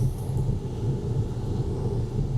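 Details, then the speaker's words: 1996–2000 Honda Civic LX/DX with D16Y7 engine, driving after warm-up following MAP sensor and connector replacement, snowy roads: low steady engine drone, no misfire, stumbles or odd noises; runs very well. "Okay. So, I've been driving this for a little bit and it runs very well."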